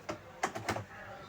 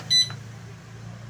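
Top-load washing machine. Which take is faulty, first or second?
first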